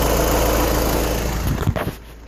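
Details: VW diesel with 29k miles, rolling or slowing in neutral with light braking: a loud steady low drone from underneath, fading as it settles; owner wonders about the throwout bearing, dealer could not duplicate it.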